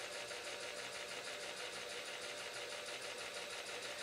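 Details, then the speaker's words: Motor driving belt-driven timing gears on a home-built welding rotary table, running with a quiet hum and a faint light swishing scrape about three times a second. Owner suspects a piece of shellac rubbing in the motor; unconfirmed. "I'm noising that motor still there I think there's something rubbing piece of shellac or something about that"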